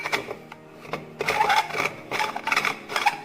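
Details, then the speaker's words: Copper drinking bottle's screw lid, deformed and oxidized copper, turns very tight with short squeaky, scraping screeches and brief ticks; friction at the rim, cured by oiling the rim, turning, then washing. "So it's making too much sound and it has become really tight, as you can"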